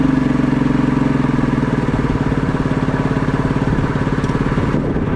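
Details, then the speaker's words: Ski-Doo Mach 1 700 triple-cylinder two-stroke, previously seized, first running: uneven loping beat sagging and surging, won't hold idle; idle/throttle adjustment planned, cause not confirmed. "all right I'm going to try and see if I can get this thing to say I might have to stick a screwdriver in the idle or the throttle"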